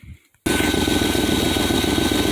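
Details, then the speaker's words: Edsel V8 at idle after a new fuel pump and new wiring, running smoother: fast, sharp puffing tick over the steady V8 beat from known exhaust leaks, car still needs exhaust work; exhaust leak. "all right folks so i got her fired up here and uh you can still hear the exhaust leaks of course but all this thing sounds so much smoother and so much better"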